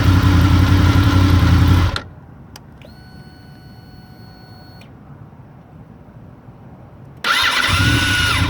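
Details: Honda VFR800: the engine runs and cuts off, then a thin, steady whistle sounds at start before it fires up again.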